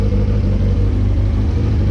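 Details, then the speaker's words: Motorcycle after exhaust leak was spot welded: deep, steady, even exhaust rumble, much quieter, no raspy blat or popping, power restored; normal exhaust note after repair. "So we gonna ride out with this now. You gonna hear the difference probably. If you've ever seen my videos, you're gonna be like, wow, that's so much quieter."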